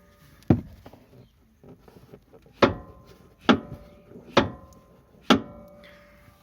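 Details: VW Polo 1.4 16v, sharp hollow clunks about once a second from the front end as suspension is worked; defective front anti-roll bar bushings, replacement should be 16mm for an 18mm bar to clamp properly: worn anti-roll bar bushing knock.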